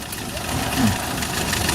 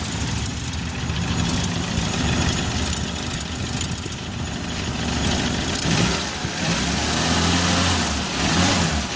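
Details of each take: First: Suzuki Carry 1.0 petrol engine at idle with a rough, diesel-like clattering; rubber wedged between timing cover and cylinder head, and pressing the timing cover slightly reduces the noise, so the rattle comes from the loose timing cover. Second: Suzuki Carry 1.0 petrol engine at idle after repair: rough diesel-like knocking, blamed on worn timing cover mounting, is gone; a steady, even low hum with no knock or rattle.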